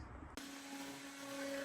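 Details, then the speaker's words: Rebuilt 2006 Joe's CNC guitar-maker plan machine, upgraded from 60 to 400 inch/min, test run beveling a top: after a click, a steady clean mid-pitched stepper whine, smooth and even; normal running. "Okay, I have it running and we're doing some test run. Just doing a little beveling on the top here right quick."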